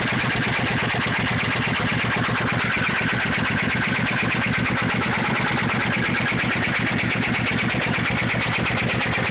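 Steady idle with a quick, even ticking riding on top that keeps pace with the engine; a top-end tick, source not yet pinned down.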